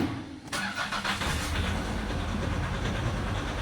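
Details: 2019 Nissan Terra with automatic transmission: the starter cranks steadily with an even churning rhythm, but the engine never catches. Cranks, no start; fault codes were stored, and an injector problem is indicated.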